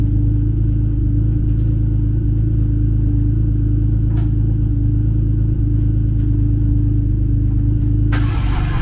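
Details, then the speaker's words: BMW E36 convertible six started on a jump box after cylinder head replacement: it catches and purrs with an even, steady drone. A little smoke is thought to be grease on the headers, and the check engine light is still on. "Drift car off so you can hear it. This thing is purring."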